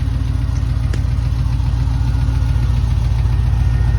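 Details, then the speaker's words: 6.0 V8 (6.0TA build) with Hush Thrush mufflers at idle, oil hot at about 40, both fans on: a light, steady tick three or four times a second over the idle. The owner says it is a lifter tick. "uh I got a lifter tick you'll hear it when I walk around but I do have a lifter tick"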